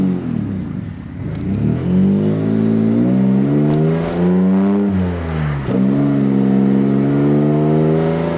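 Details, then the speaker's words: Mazda MX-6 V6 turbo on a first drive after troubleshooting. Revs climb and drop through the gears with fluttering chatter on each lift-off; the blow-off valve is still not opening, so the turbo compressor surges. "yeah that blow fell still not opening though i can hear the flutter"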